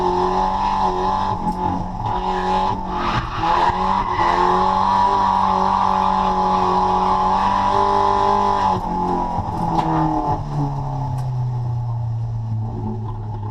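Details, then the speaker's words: Nissan CA-engined drift car, freshly dyno tuned, on track: pulls hard with tyre squeal but sounds flat and breathy under boost after an intercooler pipe popped off; refitted with a new hose clamp. "And we all know that noise. That is a cooler pipe. Unfortunately, on our first lap out, we uh popped a cooler pipe off the car, went back into the pits, had a bit of a look, sused it out"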